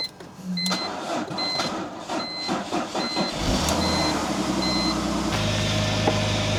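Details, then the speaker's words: BMW E46 started on a booster pack right after an oil change, filled to the top of the dipstick; chime repeats, engine cranks, catches and settles into a steady, even idle; sounds normal. "It's running pretty good though. Sounds good. Looks good."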